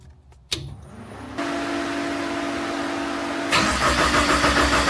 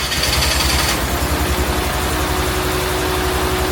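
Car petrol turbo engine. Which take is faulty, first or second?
second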